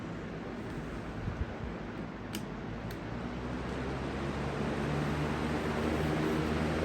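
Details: Replacement 20-inch Lakewood/Holmes-style box fan, Jordan Home Environment, on high, tilted back: steady rushing airflow that swells slightly with a soft even pulse and no grinding or rattle; healthy.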